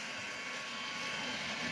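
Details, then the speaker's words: Athearn DD40 model locomotive, dual five-pole motors, DCC sound, plastic driveshafts replaced with homemade ones, running at low speed: a thin, steady high-pitched whir over the motor hum, worse through corners. Gear whine, described as not bad. "you can hear the gears woring when it goes to the corners and um it's not bad"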